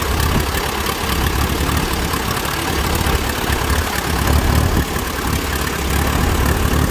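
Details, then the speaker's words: Allis Chalmers WD tractor baling hay in 100-degree heat, ignition timing set back to its old incorrect mark: low uneven chugging idle worsening with throttle, sounding like a dirty carburetor or bad ignition; correcting the timing fixed it. "here that idol is not bad but it kind of gets a chugging effect to it and then obviously as throttle increases that gets worse"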